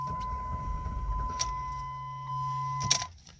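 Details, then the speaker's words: 2006 Jeep Liberty petrol, died on the turnpike, fuel pump recently replaced, gauge at three quarters: key-in chime then a brief starter crank that never catches, no fuel delivered after throttle-body cleaner burned off. "now watch it won't start now okay now it's out of fuel"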